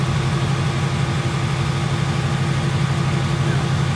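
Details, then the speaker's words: 2018 Mustang engine idling just after a drag strip run: deep, steady V8 burble with an even low rumble and no ticking; idles cleanly, without the known 2018 ticking issue. "So this is the after we just went to the drag strip. You don't get that same noise."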